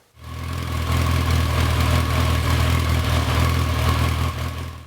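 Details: 1992 Yamaha XJ600 with cleaned carbs, before wideband-sensor tuning: steady low idle with an uneven, slightly lumpy beat of about four pulses a second, consistent with a lean idle mixture that needs pilot-screw setting.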